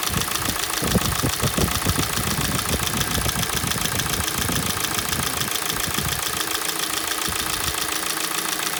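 Rapid, uneven knocking rides over the idle, clearest in the first few seconds; a cold-engine knock whose source isn't pinned down.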